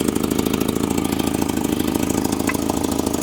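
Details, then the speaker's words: 1984 Volvo 245 parts car, 91,000 miles, at idle: sharp puffing ticks about three a second locked to the idle over steady engine hum; owner says "that's an exhaust leak." "She's ready to run. Let's give her some rip'ems here. Definitely an exhaust leak."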